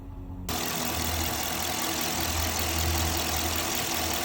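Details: 2021 Dodge Durango R/T 5.7 HEMI V8 after spark plug replacement, idling after throttle released from about 3,000 rpm: even, steady low rumble with no misses, ticks or knocks; no misfire, engine running healthy.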